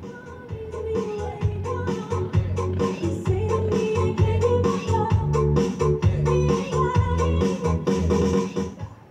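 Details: Home Vision amplifier in its final test with the cover closed after replacing the faulty main volume, balance and GRC controls, playing from DVD then MP3 through the left and right speakers: full, clear music with no crackle or distortion, so the repair is complete.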